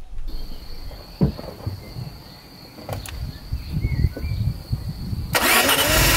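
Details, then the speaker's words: Maserati 4.24v twin-turbo V6, barn find, after cleaning and swapping injectors and checking ignition: engine catches and runs with an uneven, lumpy beat, pulses out of step; one cylinder seems dead and not firing. "nếu bạn có một đôi tai tốt và đã quen với việc làm việc trên động cơ khập khiễng , bạn nghe thấy rằng một xi lanh dường như không mang lại bất cứ điều gì"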